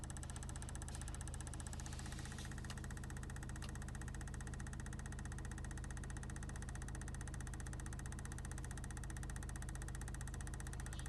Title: Knocking sound in Car